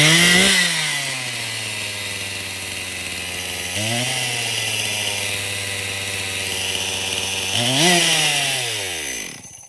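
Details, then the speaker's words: Stihl MS 261 chainsaw, traded in, run with bar and chain removed on fresh fuel: screams to high revs and hangs instead of settling; over-speeding from an air leak, with a suspect fuel line connection found. "Well, that thing does run, but it's over speeding, and I'm glad I took the bar and chain off at first."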